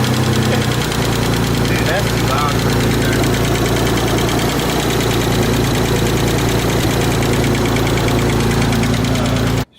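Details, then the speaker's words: Mitsubishi 3000GT VR4 engine that sat over a year, first start: rough idle with light quick ticking from lash adjusters not yet filled with oil; tick went away completely once oil reached them. "yeah there's another clip that got lost the tick completely went away I was just excited over looking it was just like the they're not actual lifters but pretty much lifters just weren't just to have oil in them yet you know this engine sat for over a year"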